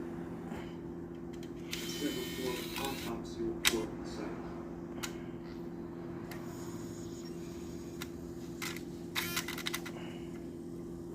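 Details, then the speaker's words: Nintendo Wii disc drive after replacing a cracked gear with a spare from an old drive: steady low hum with a few short clunks while loading and ejecting a disc, ticking gone. "after replacing the gear and putting everything back I then test to see if the sound was gone"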